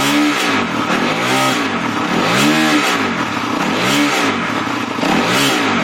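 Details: 250x, mid-rev blips: harsh, irregular clattering rasp over the exhaust note that started suddenly during a ride; owner asks for ideas, cause unclear.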